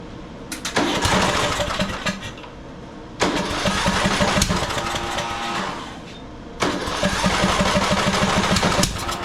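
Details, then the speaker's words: Murray 42-inch riding mower, 18.5hp Briggs & Stratton PowerBuilt OHV, new RC12YC plug fitted, started with choke: catches and surges in uneven bursts, dying back between, never steady; runs very poorly, as if choke stuck but it isn't; owner believes it's flooding. "Well, it is running very, very poorly. It's almost like the choke is stuck, but it's not."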